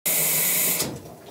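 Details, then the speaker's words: Washing machine water line: rushing water cuts off with a loud thump of water hammer at valve shutoff. It is severe enough to have broken a pipe clamp behind the wall, and is to be fixed by installing water hammer arrestors. "that loud thumping sound you hear when the water goes off that's called water hammer today we're going to fix that"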